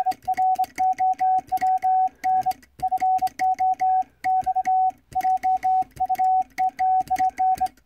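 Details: Vibroplex bug Morse key after adjustment on a stable mat, arm set to contact point; crisp, even dits and dahs in clean rhythm with no sticking or stutter, bug properly adjusted and sounding fine.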